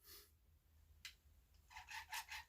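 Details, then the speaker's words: Vivitar AeroView drone motor run until warm: faint rubbing, then a quick run of sharp squeaks about five per second. Owner first suspects this motor, then says it isn't the motor; the squeak's source is unclear. "oh yeah I'm guessing it's in this motor guys get it good warmed up and it starts to make the noise so the noise I'm looking for"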